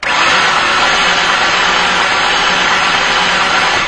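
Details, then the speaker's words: 2004 Mazda Tribute that died with a noise and puff of smoke pulling off highway, cranking: starter spins fast and perfectly even with no compression beats, faint chain noise, never catches; no compression, broken timing chain tensioner. "all right as you can clearly hear this engine has no compression at all so it sounds like the starter is just free spinning if you listen very carefully you can hear a little bit of chain noise indicating that the chain is still connected somewhere"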